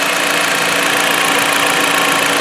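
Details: 2016 Jeep Patriot 2.0 inline-4, which had a misfire and check engine light, after a piston-cleaner carbon treatment and an oil change, now said to run very well: an even, steady idle with a constant hum and no stumble. Normal idle.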